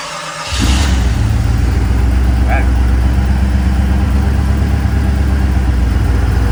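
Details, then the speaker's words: 1989 Jeep Grand Wagoneer with AMC 401 stroker V8 and Sniper EFI swap, started and idling: catches right away, deep, steady, even idle with no knocks, misses or hunting; normal idle. "So I figured maybe we'll start this up, look at the handheld, listen to this baby run."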